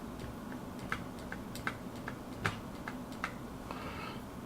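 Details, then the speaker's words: Stabilizer rattle on a keyboard with MX Silent switches, heard as sharp, uneven clacks about once a second with a bright rattly edge as keys spring back; the stabilizers rattle when they top out, before silencing with lube and pads. "noise, let's see, you can hear it a little better. That noise is coming from the stabilizer topping out."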